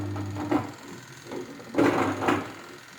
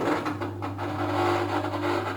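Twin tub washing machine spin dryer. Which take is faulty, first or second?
first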